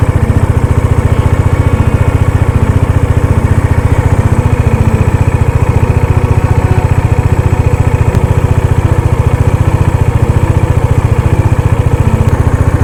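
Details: Dominar motorcycle, cold start after sitting unused for 4-5 days, fitted with a KTM gear lever assembly: a steady, even beat around three per second at idle with no misses or knocks. No need to rev it; it comes right once warm. Normal cold idle.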